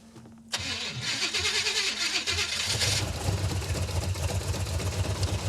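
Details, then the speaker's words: 1970 or 71 Camaro V8 just after header gasket, manifold, carburetor and timing work; cranks and catches, then an uneven, stumbling low rumble with irregular pulses, running rough; later traced to fuel glugging with the rear float bowl set too high. "Doesn't run good. It sounds horrible."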